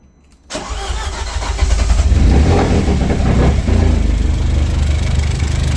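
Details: Audi A4 B7 1.8T 20V after a low-boost test drive, smoke from the oil catch can and no oil movement from the head: engine catches into a rough, uneven idle with a loose knocking beat; knocking and misfire at idle, cause unknown.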